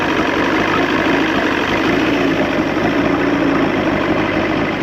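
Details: 1986 Johnson 90hp SPL outboard in a water tub after link-and-sync, ignition timing and carb restoration. Air box fitted, carb leaks seemingly fixed by tightening. Even, steady idle with no misses or knocks. Settling into a clean idle; owner suspects the fuel pump needs replacing.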